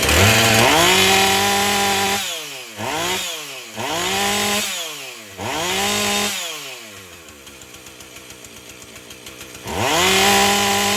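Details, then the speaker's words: Husqvarna 450 chainsaw after rebuild and spark plug swap, top cover off: revs cleanly to a high scream several times and drops back to a steady idle; runs well, though the new plug's durability is uncertain. "w that sounds a lot better so I'm not sure how long the hip of plug will last with I'm try it"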